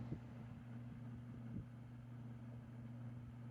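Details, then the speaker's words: Honeywell Turbo Force Power 2-in-1 fan, about 2008, bottom motor relubricated, on high speed: low steady hum with a faint uneven flutter and soft bumps. Fan motor runs slightly rough; cause unknown. "and as you can hear it definitely runs a little rougher I don't know what's up with this fan"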